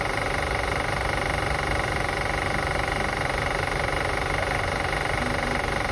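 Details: 2005 Acura TL after starting and running: fast even ticking about four per second over a steady idle hum; light engine clicking being assessed, source unclear.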